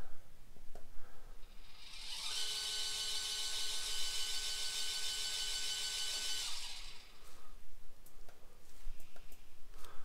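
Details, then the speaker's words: Losmandy G11 telescope mount RA drive slewing after repair of misaligned gear / bad motor coupler and reset worm mesh; even, steady high whine about four seconds with no catching or slipping, now working well. "that's beautiful so I think we're fixed we got it we got it working pretty well"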